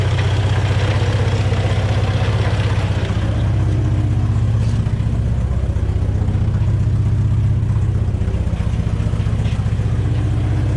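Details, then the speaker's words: Volvo B20 engine started after years of sitting, with fresh fuel and O-rings replaced: low, heavy, lumpy idle with uneven pulses about four a second; running but rough. "all right that's enough i think woohoo not the healthiest of engines but it is running"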